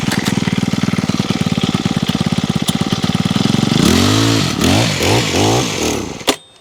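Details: Honda HHH25 two-stroke hedge trimmer with a newly fitted carburetor, primed and choked before any tuning: pops along unevenly, then surges and hunts before cutting out. The main jet and idle are next to be opened up and set.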